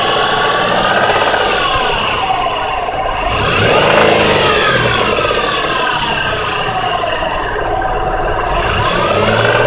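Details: 2004 Jeep Liberty engine blipped up and back down: a fast, clattery clacking that rises with revs; the source can't be pinned down by ear.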